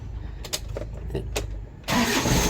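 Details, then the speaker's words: Diesel after injection pump rotor head repair starts with one click, a short crank then catches within two seconds and runs steadily; previously it would not start at all after dying repeatedly. "one click na siya guys hindi gay datin hindi talaga umandar yan"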